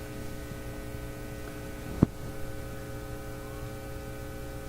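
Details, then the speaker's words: Nordmende Elektra F13 tube radio, current-limited supply, about 10 minutes of running while checking voltages for fading output: a steady low buzzing hum with a faint click, coming from the test meter lead connection, not the radio. "the uh the Buzzy hum is uh coming from my meter connection here"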